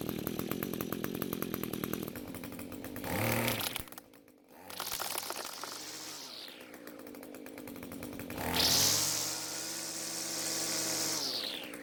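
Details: String trimmer that had spark, compression and fuel but wouldn't start, now fixed after replacing a suspected bad coil, fuel flow confirmed via primer bulb, carb untouched. Catches, revs up crisply and settles to a steady, clean idle; runs normally.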